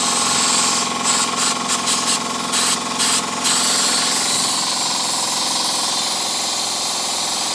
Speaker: there you go it works now